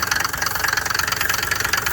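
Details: Diesel (glow plug relay) car idling rough and uneven with a steady rapid knock on every firing pulse, close to stalling; owner attributes it to the valve(s).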